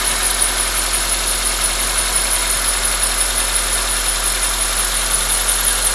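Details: 2004 Honda Accord K24 at steady idle with a constant thin high-pitched squeal that never changes; owner can't figure out the source; unidentified engine noise.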